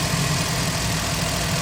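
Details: Suzuki Alto 12 model with hard cold starts, misfire code P0301 and hunting rpm, now started cold after adjusting jammed tappets: steady, even low idle hum with no skips, no codes returned; normal idle.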